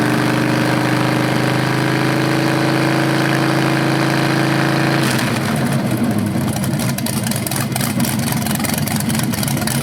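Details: BluePrint 396 crate engine for a 1970 Camaro SS, first run after oil priming and timing check: steady idle smoothly rising and falling with throttle blips; normal, though owner notes a slightly different rev sound, possibly flywheel or headers.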